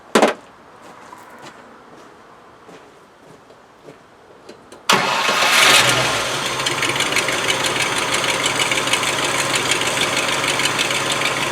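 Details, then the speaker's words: Land Rover 110 V8, starting much better than before: catches quickly, then idles with a loud raspy puffing chuff over the engine note, exhaust blowing from a Y pipe split wide open on one side; replacement part on back order. "The Y pipe is busted wide open on this side, so that part seemed to be on back order."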